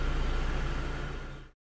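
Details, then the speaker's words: Mitsubishi Lancer 9 1.6 4G18, after throttle body cleaning/restoration and idle-valve adaptation: warm idle is a smooth, even low putter at 750–850 rpm with no hunting or misses; normal, stable idle. "как мы видим после прогрева машины обороты стабилизируются становятся на 750 850 оборотов и не плавают"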